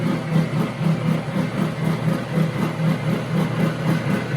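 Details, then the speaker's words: Water-cooled high-pressure airgun compressor running, water pump circulating: even low hum with steady pulse about twice a second, no knocks or squeals; normal running, though slow to build pressure. "That's because this water pump is doing its job, pumping. The water pump doesn't work, the compressor doesn't work."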